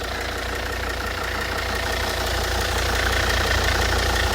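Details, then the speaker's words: Volvo S80 D5 five-cylinder diesel, automatic, heard with the bonnet opened on a freezing day; even diesel clatter about three and a half beats a second, steady and smooth; all new belts, no leaks, healthy idle. "We'll just open the bonnet there to attempt to actually hear the engine. Because believe it or not, it's not much insulation on the bonnet either."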